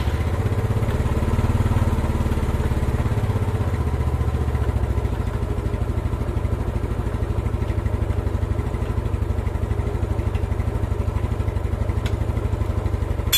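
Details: Old Yamaha Mio scooter after valve clearance set slightly loose to cure hard starting: steady, even idle putter with a regular beat and no misses or clatter; running smoothly, carburettor still to be tuned.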